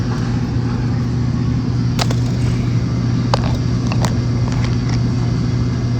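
A steady low hum runs evenly with only a few light knocks and no grinding; the washer sounds like it is running normally.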